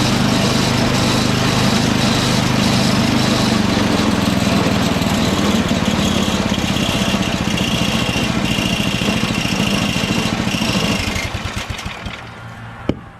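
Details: Toro 38150 snowblower's 8HP Briggs engine (for swap onto Craftsman 827), electric-started on choke, transmission stuck in second gear, belt engaging; steady, even beat, then smooth wind-down at shutdown: engine runs fine, transmission faulty.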